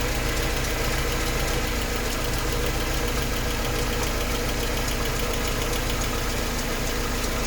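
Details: Mercedes 190E at idle: rhythmic light ticking about three to four per second over the engine; source unclear.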